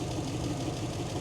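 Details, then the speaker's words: 1941 Chevrolet truck idling with a slight miss: light, quick tapping over the idle, even with engine speed; could be lifters, but owner says it's the mechanical fuel pump tapping. "but it's not it's the fuel pump that Taps that's what that is"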